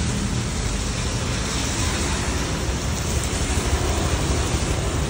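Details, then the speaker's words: Honda Vario 125 FI scooter at idle after piston replacement, following seizure and white smoke from neglected oil changes: steady, even murmur with no knocks, rattles or misses; engine now runs smooth and normal. "Nah, untuk suara mesin sudah cukup halus ya. Baik, ini setelah saya tes ya beberapa saat aman ya. Untuk suara mesinnya halus normal seperti semula lagi dari sebelah sana ya."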